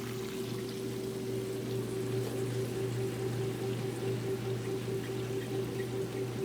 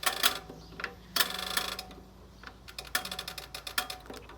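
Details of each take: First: Fill hoses for the Kenmore washers rubbing together behind the machines, making a light repeating squeak about every second over a steady spin hum; not a machine fault. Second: So, let's get the machine set today. We're going to go warm, leave it at warm, drain suds, regular action, set the load size to large, push the timer in.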